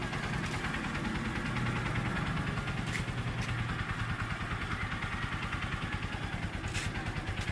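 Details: New, nearly new Honda TMX Supremo 150 with diaphragm carburetor, brought in as noisy: even, steady single-cylinder thump at idle with no ticking or knocking; valve train sounds quiet and healthy.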